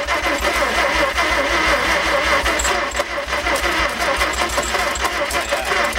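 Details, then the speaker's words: 1950 Chevy Fleetline six-cylinder, not started in a couple of years, engine in poor shape: even starter cranking at about three beats a second with a few weak firing attempts that never catch; cranking no-start, cause not confirmed. "Almost did a couple times there. That's all it'll do. Yeah. This engine is so fucking fucked."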